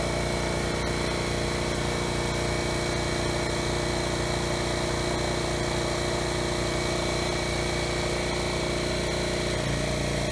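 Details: Generac generator after replacing a broken blower housing, tuned to about 61 Hz with no load and 59.5 Hz under a 1500 W load: steady drone with no surging, and the recoil no longer hits the cup.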